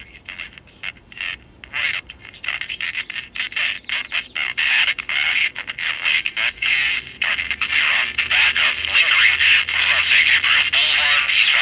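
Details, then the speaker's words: Emperor Micro AM transistor pocket radio: voices come through choppy, rough and buzzy, grittier as volume rises; crossover distortion from an output bias fault, a wrong-value bias resistor from manufacture. "uh no there's a definite bias or transistor issue listen to it"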